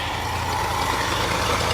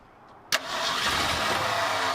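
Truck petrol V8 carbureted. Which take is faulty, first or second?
first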